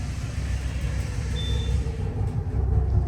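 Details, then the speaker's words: Otis Gen2 machine-room-less traction elevator, Sid Richardson Hall, Baylor University, recorded from inside the car going up: heavy continuous low rumble loud enough to carry through the building; cause unknown, guide rail greasing doubted. "Literally the whole building could, I'm pretty sure the whole building could literally hear that sound."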